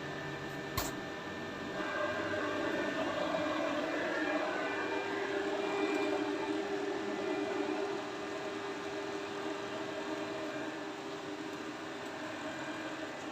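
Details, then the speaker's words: Gas-fired laundry dryer after repair of a no-flame fault (shorted component found): steady drum rumble and airflow roar with burner lit, no alarm; the machine now runs normally. "Alarmnya sudah tidak berbunyi lagi. mesinnya sudah berfungsi normal kembali."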